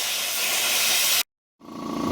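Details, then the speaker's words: Irrigation sprinkler system blowout with compressed air through the garden-hose valve, done this way for 5 years; steady high airy hiss from the heads, briefly cut then thinner and drier, the zone nearly clear with little mist: normal blowout. "The second time around I'll do full open. These I make sure all zones don't have much mist coming out"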